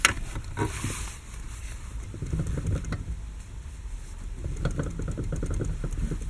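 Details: 6-year-old Lada Kalina, steering wheel rocked quickly: irregular clunks and knocks; loudest distinct sound from the electric power steering, the rest from the steering rack; universal joints have slight play but don't rattle.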